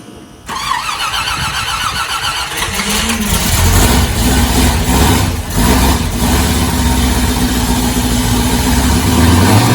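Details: V8 truck fitted with a Holley mid-mount setup, a new custom hydraulic power steering hose and a freshly hooked-up fuel pump, heard out back. After a short crank it catches cleanly and settles into a steady, even idle with a deep burble, no knocks or misses.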